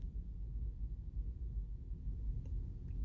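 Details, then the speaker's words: Nissan Pathfinder, warm idle, heard inside the cabin after a gasket replacement: only a soft, steady low hum remains. The earlier loud, diesel-like noise, louder on the passenger side, is largely fixed. "And just like before, I can still hear a little bit, but 1,000 times better."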